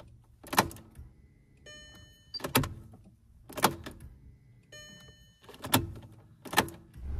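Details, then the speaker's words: Audi A3 1.9 TDI after a fuel filter change, priming by repeated key-on cycles (5–8 times) before starting. A key click, then a steady electric buzz lasting under a second, heard twice, as the fuel pump fills the filter; normal. "En fait, vous avez votre pompe à carburant qui va injecter du carburant directement dans le réservoir du filtre. Vous faites ça plusieurs fois. On l'entend tourner, il fait bzzzt."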